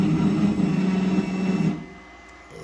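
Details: Anycubic 3D printer, about a year old, making a harsh buzzing grind for under two seconds, likely from the height axis, with trouble homing; owner suspects a failed motor or end stop, unsure.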